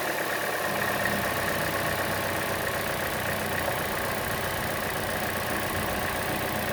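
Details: Chevrolet Cruze engine at idle: a light, quick, steady ticking at about four per second, louder than the normal engine tick and more noticeable on the belt side; the camera moves around to locate it, and the cause is unknown.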